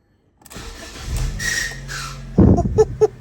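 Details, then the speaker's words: 2010 Ford Ka, about 68,647 miles, salvage auction car: rough, uneven crank with harsh clunks before the engine catches and stumbles; starter motor not engaging cleanly and needs replacing. "you hear that noise I know straight away start them over I'm not doing that is it there you go so we know that starter motor has got to be changed"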